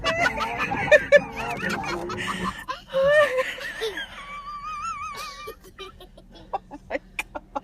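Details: Battered island rental mini-van, heard in the cabin: warbling, wavering high squeaks rise and fall with each wiper sweep, the wiper blades chattering and squealing across the cracked windshield.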